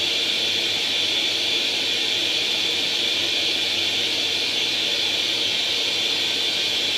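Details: Atari 800 XL after a RAM-chip transplant fixing a 5V-GND short, loading International Karate from cassette: steady high-pitched hiss with a constant tone, no dropouts or wobble; the game then starts; normal cassette data loading tone.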